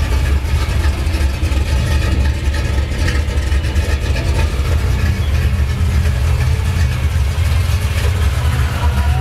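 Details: 1982 Chevy at idle: heavy, low rumble with an uneven, lumpy pulse and small swings in loudness; rough idle.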